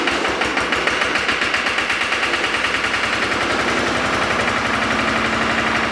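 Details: Lister diesel-driven air compressor set at 60 psi, run briefly after maintenance that refitted the regulator's automatic drain plug: steady, even diesel chug with a crisp regular beat at constant speed, no misses or knocks, running healthy.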